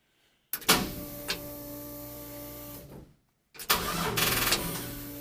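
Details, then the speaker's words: 1965 Chevy C-10 with LS swap, drive-by-wire, fuel pump heard priming: two cranking bursts, starter spins steadily but engine only tries to fire and never catches; crank no start, cause not confirmed. "Alright, let's try this again. Well, it tried to fire."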